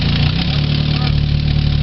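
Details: 2000 Chevy Tracker 2.0 started after timing chain replacement: steady low idle hum with an even, smooth beat and no knocks or ticking. The engine runs cleanly.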